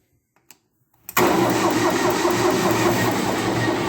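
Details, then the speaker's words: CompAir mobile compressor diesel after bleeding the injector lines: starter whirs, engine catches, then smokes and falls into an uneven chug. It starts okay, then runs badly every time; a radiator problem is also noted. Rough running after start. "well there's smoke coming out right did ah it's doing the same routine is well that's the best yet starts out okay and then it goes to hell"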